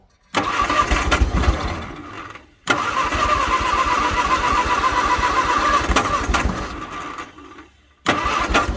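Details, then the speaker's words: 1962 Vauxhall Victor, sitting 25 years, after carburetor rebuild: catches three times, each run ragged and uneven, surging then dying, smoky, then runs out of gas; rough running. "oh yeah oh she's trying [Applause] she's trying it's getting Smoky out here"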